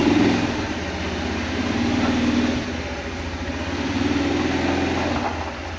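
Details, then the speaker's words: Kawasaki Prairie 400 single-cylinder ATV after engine rebuild with new cylinder: even thump, picks up cleanly when revved; running fantastic, only a gas leak from carburetor overflowing, float needs adjusting; normal running. "it's running fantastic the only problem is there's a gas leak the carburetor keeps overflowing so I need to adjust the float which isn't a big deal"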